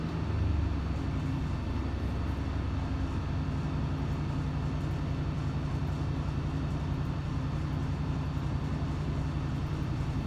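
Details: Junkyard 5.7L Hemi with S475 turbo, long-tube headers, Comp stage 4 cam, 80 lb injectors on dyno, run with boost raised from about 7 psi. Deep, even roar holds strong through the full-load pull with no misses, knocks or rattles; healthy boosted V8.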